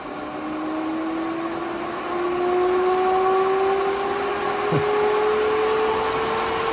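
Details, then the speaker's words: AC Infinity variable-speed garage vent fan turned up from its quiet lowest setting: loud, even rush of air climbing slowly in pitch, then holding steady and smooth, 'like a jet engine'. The fan is healthy. "okay now it sounds like a jet engine"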